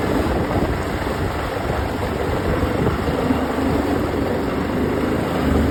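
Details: OX66 outboard with steady rough, gritty mechanical grinding under the drone at constant speed; new spark plugs helped only briefly, compression excellent, prop not slipping, source not pinned down.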